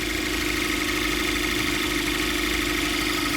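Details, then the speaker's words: 2014 Cadillac ATS turbo direct-injection engine at idle, AC off, heard under the hood after installing a new vacuum pump. It now idles steady and smooth without the earlier rough idle and loud ticking, leaving only a normal fine injector tick. "I said, you can still hear the injectors."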